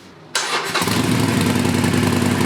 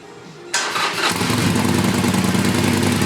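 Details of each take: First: Used Harley Sportster V-twin on the stock exhaust, second start after fitting the heat shields: cranks, catches and settles into an even loping idle with no rattle; healthy. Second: Used Harley Sportster started after a stock exhaust was fitted in place of Vance and Hines Short Shots, with no leaks. The exhaust heat shields are not yet fitted, so a metallic, buzzy rattle rides over a fast, loose, lumpy idle.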